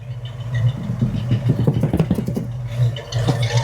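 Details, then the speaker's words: 1968 Ford Mustang with a 289 V8 that ran rough when bought: lumpy, burbling idle with a steady low beat and slight rocking unevenness, running cleanly. It runs much better than expected; the roughness is seemingly partly solved. "From what it sounds like, we may have solved some of that, and surprisingly, it runs way better than even we thought it would."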